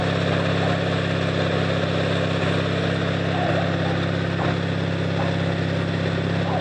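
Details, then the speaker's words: Noma 18 HP lawn tractor bump-started by jumping the solenoid with pliers: small engine holds a steady, even low drone with no misses or knocks; normal running. "oh yep she's a runner all right"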